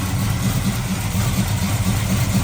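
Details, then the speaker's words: 1979 Camaro after rocker arm replacement, valve covers on, running a few seconds: deep steady even lope, no top-end ticking, sounds happy; idle slightly low, may need turning up. Normal idle. "It sounds really happy. The idle might need to be turned up just a little bit."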